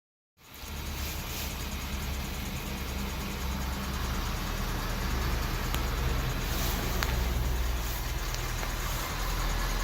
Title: 2018 Ford F 350 ticking noise